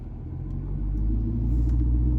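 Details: 2019 Ford 6.7 Powerstroke diesel truck, parking brake not set, upfitter switch 3 flipped after the high idle mod (relay and customer access harness emergency brake wire grounded): rumble climbs smoothly and settles at a steady high idle, normal engagement.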